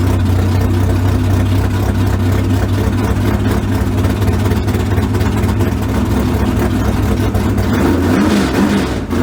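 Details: 355 small-block V8 swapped into the '57, after setting about 8–10 degrees of timing without a timing light and slightly adjusting the carburetors: a steady, even burble with a slight rise near the end, running clean. Normal idle and revving.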